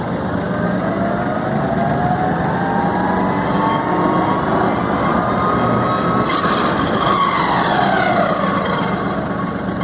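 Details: Branson 3510h 35 hp hydrostatic tractor coasting in neutral: thin tinny whistle drifting up and down over gear whine, owner says almost like an impeller hitting; high-pitched whine when free-wheeling, source unclear.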